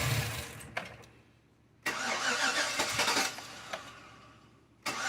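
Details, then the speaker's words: Rebuilt 230,000-mile LS V8 (DOD delete, Truck Norris cam) at first startup. It surges and sags about every three seconds because the ECU still has DOD on and keeps trying to deactivate cylinders; it needs a tune. No major rattles otherwise. "but that's part of the process you have to take it in and have a F put in it's trying to it keeps trying to deactivate the cylinders"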